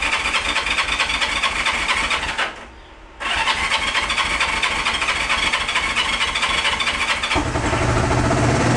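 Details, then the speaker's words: Barn-find 1971 Honda CB350 started on fuel squirted into each cylinder; it fires up, runs ragged and uneven, then revs briefly, so it has spark and fuel. A carb float is missing and the carburetors are to be rebuilt next. "that that's the sound I wanted to hear all right so I think uh we may have a uh a good candidate here"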